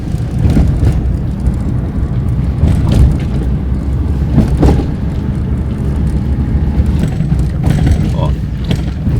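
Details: Clunking suspension on a Corolla, possibly 96–97: dull, irregular thumps every couple of seconds over heavy road rumble as the car hits bumps; front wheel bearings and rear brake also mentioned, source not pinned down, cause unconfirmed.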